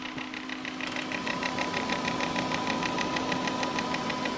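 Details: Corsair H80 liquid cooler failing two hours after install, intermittent noise: steady whirring hum with a rapid even ticking grind about three times a second; failing pump.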